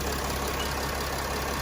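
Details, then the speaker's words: 2019 Mercedes Sprinter diesel after fuel filter change and priming the fuel pump: starts with no struggle and idles with steady, even clatter, no surging or misses. "so there's no struggle to start when you follow this uh step here it just start up just like normal you just have to prime that pump before you you start it"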